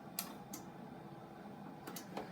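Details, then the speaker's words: NEC Ready 9905 desktop computer on power-up, no monitor connected: quiet steady hum with a handful of sharp seek clicks in the first two seconds as the hard drive initializes. Normal spin-up. "hard drive initialing initializing I like these Master hard drives that uh make the end those initializing sound sounds"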